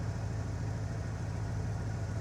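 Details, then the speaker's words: Used V8 truck, 179,000 miles, started after sitting unused: smooth even low rumble, steady beat, no knocks or misses; clean normal idle. "So, fire is up like it's been yesterday that it's been running even though it hasn't been."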